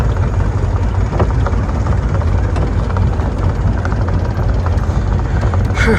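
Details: Mercury 90 two-stroke outboard under way after cold no-start fix, carburetor air-fuel screws set richer at 2 turns out: steady deep drone, even, no misses or surging; normal running.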